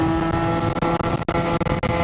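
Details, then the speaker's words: Yamaha BWS 70 (Stage6) scooter, still cold, slightly gurgly and maybe rich, at about quarter throttle on a test ride: a high, buzzy two-stroke note held at screaming revs; it over-revs, and the rollers are adjusted afterward. "Why is it? It is revving very high. Like it's really revving quite high for me, for my liking."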